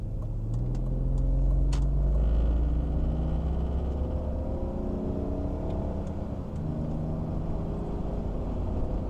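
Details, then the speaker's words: 2001 BMW E46 after wheel bearing replacement, cruising at 80: steady low road rumble with no squeak or rhythmic chirp; the old bearing chirped at highway speed, now the new bearing sounds normal. "It's cruising great at 80. No squeaks, no chirps."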